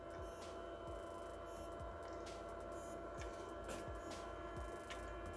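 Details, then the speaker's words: Hippo Tool 150W desoldering gun ZD-8915 (Pro'sKit SS-331H), new, first power-on heating to 160: steady mains-pitched buzz with light ticks coming from the gun itself; cause unknown. "what don't if you can hear that that buzzing yeah it's that's not good don't leave it on when you turn it on look good"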